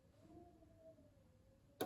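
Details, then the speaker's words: LPG gas hob after regulator replacement, all four burners turned off: faint whistle then sharp clunks as the four thermocouple safety valves close and stop the gas supply, working normally. "1, 2, 3, 4. And that's the 4 thermocouples stopping the supply of gas."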